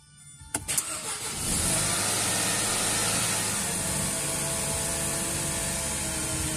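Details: Mercedes M271 engine, first start after timing chain replacement: a few quick cranking turns, then it fires and settles into a smooth, even idle with a steady hiss; runs healthy.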